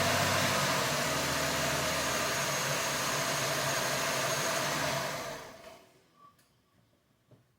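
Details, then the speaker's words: 2020 Jeep Grand Cherokee 3.6, P0339 extended crank after another shop's engine rebuild (heads off), scope on crank sensor: short rough crank catches and runs unevenly, not extended but not perfect, then shuts down; rough crank and start. "So it starts better. It's not extended, but it's not like a perfect crank either."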